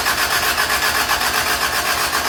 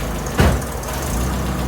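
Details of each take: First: Toyota Tercel 3A-C engine just reinstalled, third start attempt after fuel lines were connected: long even cranking about four beats a second without catching, brief gap, then fires; flooded, cleared by shutting choke and giving gas. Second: Toyota Tercel, reinstalled 3A-C engine, first start with coolant added, valves not yet adjusted. Quick crank, catches and settles at once into a steady, even idle with no misses or knocks, not loud. Started really good.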